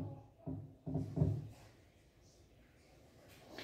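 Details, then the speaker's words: Panasonic washer showing H02 and U12 errors: three dull loud clunks then quiet as the pulsator twitches, motor not starting; H02 linked to the motor's left-right drive control board. "thì cái tiếng lục cục này Thực chất là liên quan tới là cái động cơ nó bị động đậy thì chúng ta để ý vào cái mâm giặt chúng ta sẽ thấy có lúc cái mâm giặt nó động đậy đấy"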